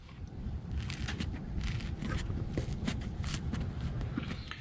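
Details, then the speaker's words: Volvo B20 engine, radiator hose squeezed by hand: short gritty crunches like crystals breaking; hose still pliable but crusty inside from dried old coolant crystals after it dried out and was refilled, so both radiator hoses to be replaced and the system flushed. "it's all crusty inside um and i don't think it's the hose the hose still is pretty pliable but it's crunchy in there so which means that it dried out and then it was refilled"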